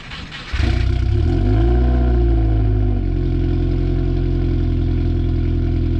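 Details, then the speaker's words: Turbo-build Honda Civic D16Y7 with BOV, cold start in the morning: catches right away, flares up, then settles to a steady, even high idle; normal cold-start high idle. "i was about to say it's being tamed this morning but then it kicked into high idle choke"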